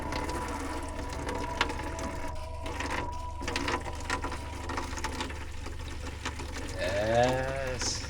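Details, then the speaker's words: Sprinter van DIY water system, first flow test of the newly wired water pump with cold and hot lines opened: steady low pump hum, air sputtering out of the tap, then water rushing; normal pump running with water flowing. "The air's coming out. Yep, the pump is working. You can hear the air coming out."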